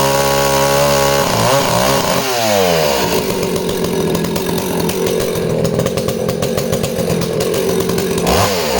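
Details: Danarm 36 'hot rod' chainsaw, intermittent off-load misfire: revs up then steady strong pull through the cut, no stumbling; misfire vanishes under load.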